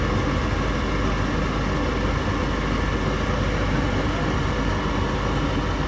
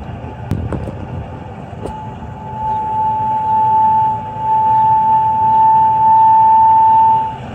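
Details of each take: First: Goodman furnace that whistled because of high gas valve pressure, after the technician adjusted the pressure: steady, even rumble of burner and blower with no surging or sharp whistle; a little sound remains but acceptable: normal furnace operation. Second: because there's gas pressure problem and then we got noise that's what technician told me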